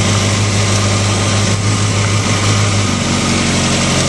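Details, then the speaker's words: Engine after adjusting manual cam chain tensioner (screw backed out, tightened until chatter stopped, plus 1/4 turn, locknut set): smooth, even idle with steady low drone, no ticking or rattle; cam chain rattle gone, normal idle. "so that's it right there you can hear the engine A lot quieter before it had a lot of rattle um right now um it's it's very quiet I don't hear the rattling at all"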